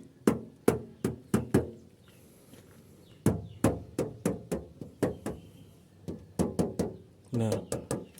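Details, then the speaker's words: Knuckle-tap test on a used Daihatsu Zebra Espass body panel. Crisp, bright taps that ring clearly with no dull thud, meaning original metal with no body filler; a filled panel would sound dull, "buk buk". "Nah, itu biasanya suaranya beda teman-teman. Ketika masih asli ori kaleng blank, itu suaranya seperti"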